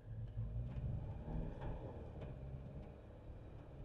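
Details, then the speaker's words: Jeep Wrangler 4xe plug-in hybrid with zero electric range, running as a traditional hybrid, heard inside the cabin: steady, somewhat raised engine drone while stopped, normal running as a generator. "Eu acho que só parando o carro nessa situação que eu tô agora e ele fica meio acelerado funcionando como um um gerador"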